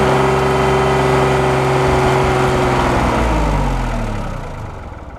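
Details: 1988 Yanmar 336D diesel tractor, sat outside unrun for 6 years, first start in neutral: steady, fairly even idle clatter winding down as it is shut off quickly because coolant blew out the overflow pipe of the mouse-chewed burp valve.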